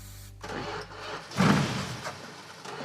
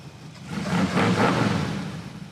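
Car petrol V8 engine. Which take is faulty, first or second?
first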